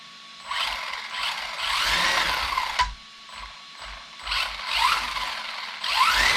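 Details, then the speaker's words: Team C Jekyll RC buggy converted to brushless with an Etronix 3300Kv motor and a cheap unbranded 60A ESC: short motor-whine bursts climbing slowly in pitch with no punch. Sluggish throttle response; owner suspects the ESC. "There's no explosive power there. It was like whoop. It had a really slow build up."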